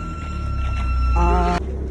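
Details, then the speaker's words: Proton Exora that would not start, fuel pump suspected then replaced: thin steady high buzz over low engine drone, constant pitch; buzzing identified as failing in-tank fuel pump. "H bunyi gitu ni masalah dia deh. Ni masalah dia F pam."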